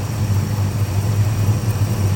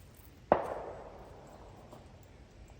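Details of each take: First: 1965 Dodge Custom 880, running on a new carb after 3 years sitting. Steady low idle with an even rumble and no lifter tap; a light tick from a slight exhaust leak is buried under the engine note. Otherwise runs well. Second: 1965 Dodge Custom 880 sedan cranked for the first time after sitting 3 years, choke held open. A couple of sharp clicks, then about a second of the starter spinning the engine freely without firing: healthy cranking, no start.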